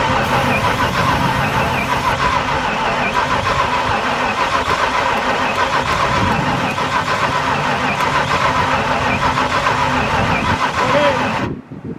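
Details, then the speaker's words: 1995 Ford Mustang 5.0 302 V8, 5-speed manual, first start attempt in 15 years: starter churns the engine at about three and a half turns a second but it never catches; no spark from the coil, distributor pickup suspected. "all right so no bar going out of the coil let's see what we can figure out well it could be the pickup in the distributor"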